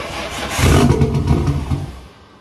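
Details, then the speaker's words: Nissan 240SX with a freshly swapped RB25DET on its first start attempt, no throttle cable fitted: it cranks, catches and flares briefly, then dies within two seconds because it won't idle and nothing holds the throttle open. "it won't idle and I don't have a throttle cable so I can't make it stay running"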